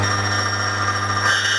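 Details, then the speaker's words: Key duplicating machine with a V-section cutter, moving left to right; cutter lifted to graze the blank. Steady motor hum with a thin high ring, barely cutting, pitch shifting slightly near the end as it starts cutting properly. "So I'm just lifting it up. I can hear it's barely cutting."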